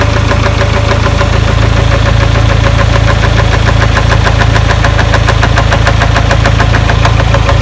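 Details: 1996 Geo Tracker, first start after distributor refit, left slightly loose: rapid steady knocking about 3.5 per second over a loud idle, like something rubbing, then the engine shut off; cause unknown.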